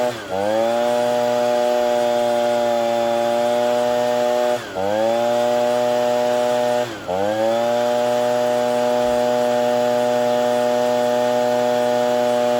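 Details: Ryobi BP42 backpack blower (two-stroke) after replacing gummed-up carburetor, air filter, fuel filter, primer bulb and fuel lines; running while mixture screws are turned with a Pac-Man tool: high steady buzz sagging every few seconds; not yet running clean.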